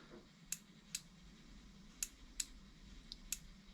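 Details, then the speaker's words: Gasoline fuel injector, already cleaned, bench-powered from a battery via a switch; seven crisp separate clicks in four seconds, one per pulse, from the needle/solenoid, not the switch; injector opening properly. "le petit clic que vous entendez là, c'est pas le switch, c'est le fonctionnement de l'aiguille."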